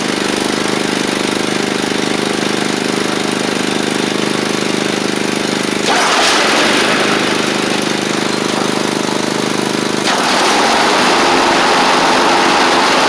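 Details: Troy-Bilt Mustang Z46 zero-turn, after wiring repair, new ignition coils and tightened blades: steady drone shifting pitch cleanly with throttle, no misfire or knock; runs fine once started, though it chokes on startup (owner suspects overly rich fuel pump).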